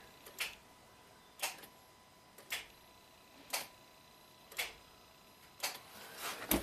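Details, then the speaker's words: 2007 Acura RDX, 2.3L turbo, 210k miles, intermittent no-crank recreated after sitting; the starter positive feed stayed live while cranking. About six sharp clicks, one per second, with no cranking: the solenoid engages but the starter motor does not spin. "here solid click but the motor is not spinning"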